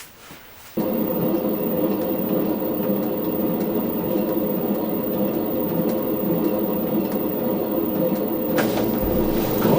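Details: LG ventless washer/dryer combo running with clothes loaded, before bearing and seal replacement: steady low rumble with a rough grinding edge under the tumbling drum; worn drum bearing. Owner also questions a part that is tilting far back.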